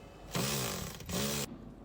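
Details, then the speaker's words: Toyota Prado 3.5 (2016-on): two loud rasping creaks from the front of the dash near the windshield while driving, caused by the heater water pipe bracket stud breaking its weld from the body. This is a common fault despite the factory's added anti-vibration clip. "那这个问题点呢就是在这个暖风水管的这个支架这个位置。"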